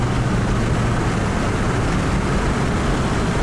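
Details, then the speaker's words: 2003 Honda Odyssey V6 after a tune-up replacing counterfeit plugs, during a 0-to-60 run under hard acceleration: steady, even engine roar with no stumbles or missed beats, smooth strong power; healthy acceleration without misfire. "0 to 60 run oh man this man is some good power that's smooth"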